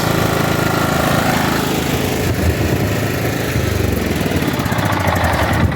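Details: John Deere riding mower after new fuel pump and replaced fuel line, no leaks: small single runs with a steady, even beat and no misses, then fades at the end; sounds healthy.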